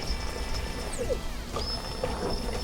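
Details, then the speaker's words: Replacement fuel pump for a Holden VX Commodore 3.8L V6 (no-start from a failed pump after sitting 8 years), bench-tested before going into the tank: a thin high electric whine sags briefly then holds steady; normal pump run. "There we go. It's working. All right. That's good."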